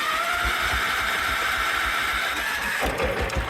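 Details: Allis Chalmers 712 lawn tractor prepared for pulling, fuel filter drained of water: small single-cylinder engine running steady and even with a low firing thump at constant pace, no misses or knocks; normal running.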